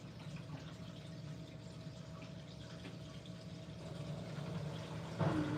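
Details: Siemens washing machine on MyTime 40-minute cycle with extra rinse, water plus and iDos, before 1,600 rpm spin: low steady hum under faint water gurgle, even and unchanging; drain pump running normally.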